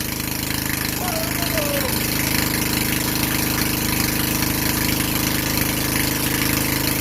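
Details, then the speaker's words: Vintage Generac Niagara 2250 W generator, model 5621-0, Tecumseh 5hp single-cylinder, after replacing gas hose and air filter, first run on choke: steady, even thumping with no misses or knocks; runs and idles normally. "all right so she runs let's see if it's creating any power"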